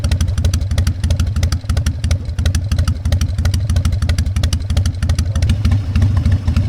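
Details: Harley-Davidson Fat Boy Evo 1340 V-twin, running after winter storage, carburetor cleaning and a jump start: deep, loping exhaust pulses about three a second, uneven but steady, with a few throttle blips; healthy.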